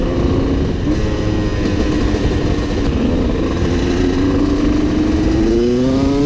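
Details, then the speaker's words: Honda CR250 two-stroke supermoto, Mikuni carb after main jet change, riding: pulls well off bottom and revs strongly on top but sputters in mid-range, rider feels it's too rich there; S8 nozzle and 390 main jet considered. "what I feel now is that it's kind of sputtering out or too rich in the mid-range off the bottom feels great and on the top it's actually revving really good"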